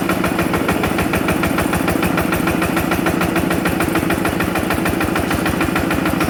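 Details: Yanmar TF85 LM single-cylinder diesel just reassembled with cylinder head closed and new side-cover O-ring: steady even thump about 200 beats a minute, no knocks or misses; clean, healthy normal idle.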